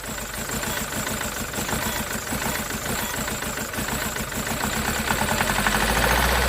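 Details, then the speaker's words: SsangYong Musso diesel after engine rebuild, exhaust not yet tightened, after the knackered number two injector behind a cylinder-two misfire was replaced: an even idle with a steady low clatter of about four beats a second, no stumble. "so she's running mint now it was number two injector that was knackered and I had one in my toolbox so I'll put that in there and it's running nice"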